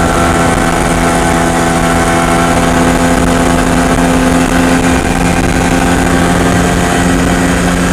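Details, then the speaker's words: MZ ES 250/2 two-stroke with Bing 84 carburettor, slightly larger main jet fitted: at part load a thin metallic ringing hum over the exhaust beat persists, pinging/self-ignition from a too-lean mixture; full load now runs well. "A plena carga, el motor arranca bastante bien, pero aún se puede escuchar claramente el zumbido a carga parcial."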